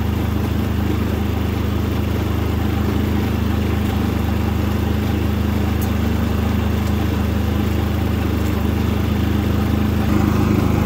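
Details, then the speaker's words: New Predator 3500 inverter generator on first start, switched to run, economy switch off: smooth, even low hum at steady speed, no misses or rattles; running healthy and very quietly. "very quiet actually"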